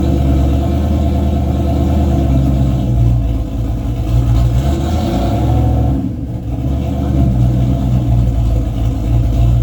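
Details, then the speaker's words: Race car with 351W V8 and transbrake, transmission newly working but only about nine quarts of fluid, not yet topped off, so driven gently without building boost; loud V8 pull dips and goes uneven as it stumbles slightly the more throttle is given, cause unclear. "seems to be working all right though you can hear where the engine stumbles a little bit the more throttle I give it obviously it's not going to build boost and I don't really want it to right now"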